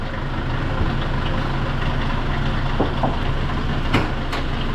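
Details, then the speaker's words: Hyundai Starex D4CB diesel idling: a loose, irregular slapping rattle at the front of the engine over the normal clatter; the mechanic's verdict is timing chain. "Narinig nyo yung ingay mga bossing. Ayan o. May parang humahampas dyan dito sa harap na makina."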